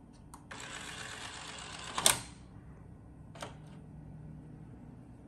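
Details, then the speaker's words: Funai ZV427FX4A VCR/DVD recorder after its DVD loading motor was cleaned with DeoxIT; short motor whir, firm clunk and lighter click as the tray loads and seats; normal tray loading. "let's here over here those two sounds i like to hear there you go that was the two sounds pretty much you hear that yeah it's definitely a good drive"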